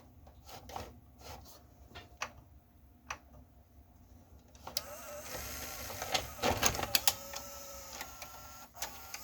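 Irregular light clicks, then a steady whirring and scraping rattle once the tape runs; the transport mechanism is noisy, cause uncertain. Cause suspected, not confirmed.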